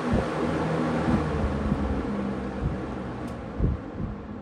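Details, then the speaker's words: Vintage Kmart-branded Lakewood box fan, probably first run in seven years, on high setting: steady even rush of air with low hum, no rattles or scraping; powerful, normal operation. "I probably missed the spin down we'll do it again that is one powerful fan"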